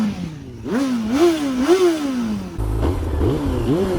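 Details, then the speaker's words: 2003 Honda CBR954RR 954cc inline-four, free revs before a test ride: sharp quick blips, pitch rising fast and dropping smoothly, biting sound; healthy normal revving. "this thing revs quick and it just it has a lot of it has a bite to it in the sound department absolutely"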